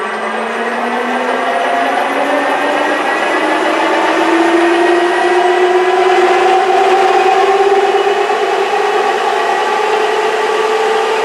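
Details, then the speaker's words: J44 turbojet spun up on its starter for the first time since the accessory drive was restored and reinstalled; a smooth, steady whine climbs slowly. A faint rattle underneath is thought to be a bearing that always made a little noise. "what pretty smooth i think you could stop that from hurting okay good got a little bit of a like the rattling yeah that's i think that's the bearing it always made a little bit of noise but that's okay"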